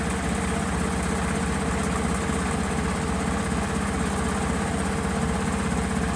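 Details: Honda BeAT FI scooter after repairing a broken wire in a connector that left the electrics totally dead; steady even single-cylinder idle with no knocks or misfires, so the engine is running properly.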